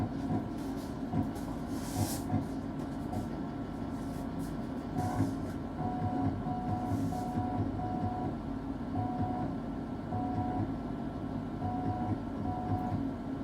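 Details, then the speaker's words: 20-year-old PC floppy drive reading a backup disk that previously listed files: harsh repeated buzzing bursts and short tones like repeated head seeking; read failure, owner later admits missing an obvious setup mistake. "Since that sounded like a horribly broken disk, and I missed the solution that was staring me right in the face, I went straight over to download ddrescue and try to recover as much data as possible."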